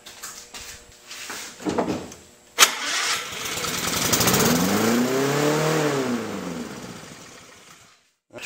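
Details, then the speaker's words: Lawn-Boy mower racing at high rpm on startup, even after the governor spring was moved to the rear hole for more tension. It catches, screams high, then sags. The owner suspects governor adjustment, but a different issue was ultimately found. "so it's still rubbing pretty high so what I think I need to do is actually adjust the governor"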